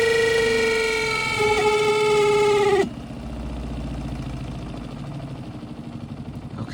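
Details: Twin tub washing machine spin side making a loud, piercing squeal that wavers and sags, then cuts off to a low rumble as the drum winds down; owner suspects bearing or shaft, unconfirmed.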